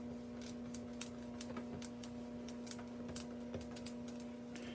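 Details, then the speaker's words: Flight 2000 pinball playfield: dry, irregular crackling ticks as a hand sweeps the surface over a steady low hum; the mylar lifted and is loose because it was not applied all the way. "But where's that loose? It's all right here. You can hear it crinkling when I go over it."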